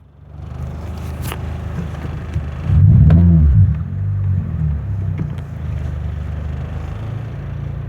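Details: Toyota Corolla misfire: low, lumpy idle rumble with uneven stumbles a few times a second and a brief surge midway.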